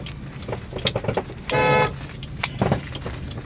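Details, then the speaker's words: 2010 Chevrolet Astra driven over a small ripple in the road: loud irregular clunks and knocks from the front suspension; a loose stabilizer link was already seen. "A gente tá testando ele tá com barulho feio na dianteira, tá? Desculpa a imagem, tô filmando com o celular, olha o barulho."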